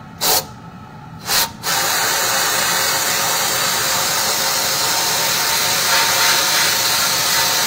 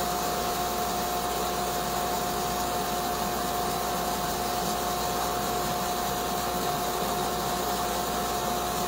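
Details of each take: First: Sandblasting cabinet with a trigger siphon gun: two short trigger bursts, then a steady thin air hiss with no gritty rattle of media. Too little sand in the hopper, so the blaster is starved of abrasive. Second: Sandblasting cabinet with gun on glass, nozzle held about 8–10 inches away and parallel to the surface: a steady, even rush of air and grit over a constant fan tone, no sputtering or surging, running normally.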